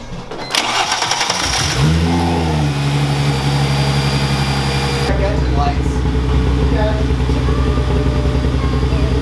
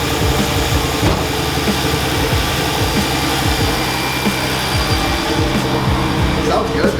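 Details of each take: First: Chrysler Crossfire just after an upgraded 74mm throttle body install, with the MAF sensor accidentally left unplugged: cranks, catches and settles into a lumpy, shaky, stumbling idle. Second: Chrysler Crossfire first start after installing an upgraded 74mm throttle body (Mercedes A1131410125 / Bosch) and plugging the MAF sensor back in. The engine catches and settles into a steady, even idle with no stumble or misses. It is running normally.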